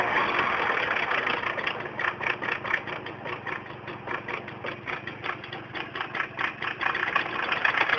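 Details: Tomos moped two-stroke idling: uneven tinny rattle about two to three clatters a second over the buzz; clutch rattle noise.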